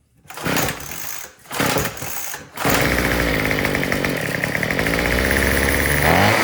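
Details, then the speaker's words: Troy-Bilt TB225 two-stroke tiller that wouldn't start after sitting all winter, mixture screw turned 1/8 turn richer: bursts on and off then ragged running, surging as if out of fuel; later found rotten fuel line and old carburetor gaskets/diaphragm. "I'm just gonna make it a little bit more rich and see if that changes anything. Yeah, it just sounds like it's still running out of gas."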